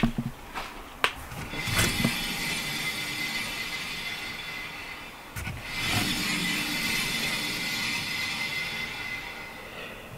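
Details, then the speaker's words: Renault Trafic rear drum wheel spun by hand after rear brake and bearing work: steady scraping hiss with clicks, turning freer but still rubbing; owner suspects the dust cover on the stub axle; brake rubbing. "tu vois il ya encore un bruit mais elle tourne plus libre le groupe qui entend c'est toujours un bruit de frottement en fait"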